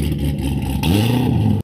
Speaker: this is what a car sounds like an idle when it's been cammed to work it give out the most amount of power at higher [Music] you can hear the scalloping it's a galloping rough idle